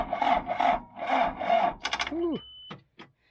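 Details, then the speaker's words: Abandoned John Deere 310 diesel backhoe: four slow, labored cranking strokes about a second apart that then stall out. Weak battery cannot spin the engine, so jumper cables are put on next. "battery don't sound good. All right, let's put some jumper cables on."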